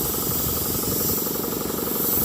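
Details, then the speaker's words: Campbell Hausfeld air compressor that had locked up from water damage, cleaned and running again: a steady hiss over the pump's fast chugging as it builds pressure, with air escaping at a bad blowoff valve that needs replacing. "Oh, it's coming from right here. It's got a It's got a bad blowoff valve. I need to get a new one of those."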